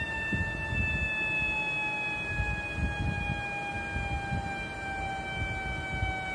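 Thin steady whistle riding over a low engine hum, pitch drifting slightly downward; sounds like air being sucked through a leak. Cause suspected, not confirmed.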